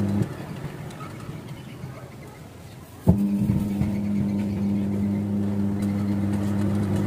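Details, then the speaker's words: LG Fusi Logic WF-L800TC top-loading washing machine, spin/drying cycle after drain, once the owner's complaint of a pulsator that wouldn't turn and ran loud and rough had been dealt with: quiet, then a steady, even motor hum with no knocks or scraping; smooth, like new. "Halus ya suaranya. Ngobrol seperti barang baru ini."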